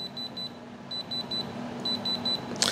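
Short, high, evenly spaced beeps come in quick groups, then a sharp tap on the stone; the tester is reading diamond.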